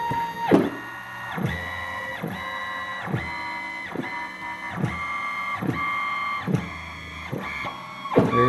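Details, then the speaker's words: Open-loop stepper motor on CNC machine under rising feed rate with rag resistance: singing tone breaks into rough clunks; losing steps from about 190 in/min, stalling completely around 270 in/min. "270 it steadily choking out so the open-loop stepper like I said at 190 inches per minute I could feel it starting to lose steps with whatever resistance I could apply with this rag and then like we said around 270 it just totally dies so"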